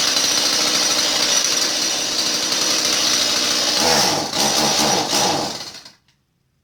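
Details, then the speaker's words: Stihl 017 chainsaw: it starts and idles well, but on throttle it bogs, sputters and dies. The cause is a plugged, non-adjustable EPA carburetor, to be replaced with an adjustable non-EPA carb. "problem is it's got a plugged up carburetor idles good start idles good you go to give us some fuel it just bogs and falls on its face"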